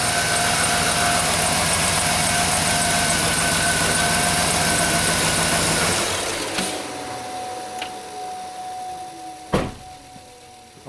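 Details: 2007 GMC Yukon V8 after replacing driver side motor mount for clunk when accelerating from a stop: runs evenly then winds down with no heavy clunk; driveline clunk fixed.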